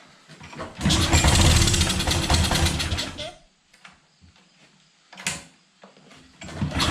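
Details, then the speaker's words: Pressure washer small engine with automatic choke. Catches, runs rough for a couple of seconds, dies and refires; it only keeps running on choke, which usually means a dirty carburetor, which is then taken apart. "never mind that's working right so it's needing choke to run which usually means the carburetor is dirty"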